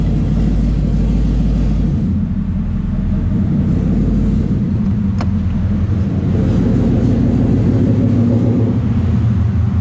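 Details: 2014 Mustang 5.0 Coyote swapped into a 3V S197 Mustang using a plug-and-play harness, first start; deep, even rumble settling into a steady idle, no misses, knocks or ticking; normal idle.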